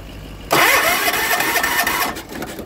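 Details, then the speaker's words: 40-year-old John Deere 300 garden tractor after winter, compression 125 and spark confirmed, plug wet and dark: fast, rough cranking with a few uneven catches but never runs; almost starts, won't start. "It almost started there."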